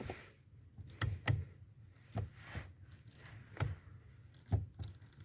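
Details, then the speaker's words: 1992 VW Passat B3 clutch pedal crunch heard at the pedal assembly under the dash as the pedal is pressed; irregular dull crunches seeming to come from the spring/bolt mount on the pedal bracket. "складывается впечатление что источник вот этого хруста исходит месте крепления пружины и получается и болта и и крепления к блоку педалей"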